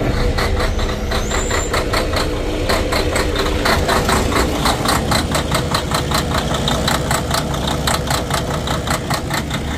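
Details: Freightliner Cascadia Detroit DD13 diesel with fuel problems from a failed fuel rail high-pressure sensor: heavy idle hunting and stumbling with harsh, uneven clatter about once a second.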